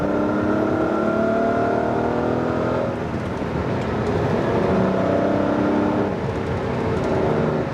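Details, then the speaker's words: Ferrari 512 BB after misfire diagnosis and repair, full-throttle acceleration on road: smooth rising engine note with road noise and no exhaust pops or bangs, indicating mixtures correct; clean healthy pull. "There's no pops or bangs. Again, if you get the mixtures out a little bit, you get a a lot of popping and banging in the exhaust. There's no pops or bangs on this."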